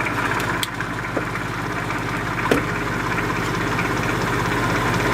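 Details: 1950s Patton 18-inch High Velocity fan, 3.2 A GE shaded-pole single-bearing motor, hot and slowing down while drawing no excess current: low strained hum with sharp ticks; the shaft is binding from excess end cap pressure, and the owner wonders if the oil is too thin.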